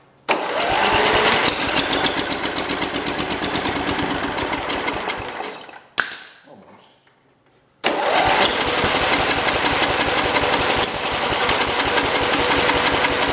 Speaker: let me try a little bit more gas in it it wanted to go that time so it seems like it's starting to run better